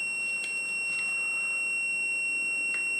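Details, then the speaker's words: Whirlpool/Smeg ELTH type 261N bimetal frost stat, chilled in a freezer about half an hour and warmed in hand: a steady high continuity-meter buzz shows the contacts are still closed, as they should be when frozen. They should open near -3 to 0°C and the buzz stops. "the switch will open which you hear when the buzzing stops"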